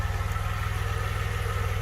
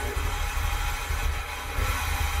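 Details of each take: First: 1982 DeLorean DMC-12 with 5-speed manual, warmed up after a slow warm-up, nobody in the car. Low, even pulse with a steady rhythm and no hunting. Idle about 750–775 rpm, near the roughly 750 factory setting; sounds right. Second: 1982 DeLorean DMC-12 5-speed, cold start (header cold to touch): engine settles into a low, uneven idle rumble with a ragged beat, serious hunting and an odd low-end sound; sounds rough, improving slightly, cause unclear.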